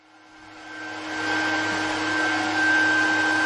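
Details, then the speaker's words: Fujitsu Primergy TX140 S1 server powered up during teardown; the power supply fan spins up into a steady high whine and rushing air like a hair dryer, a loud power supply fan, possibly small Delta fans. "I just thought I'd fire this up just to check it actually works and you can hear that's the power supply fence sounds like a friggin hair dryer"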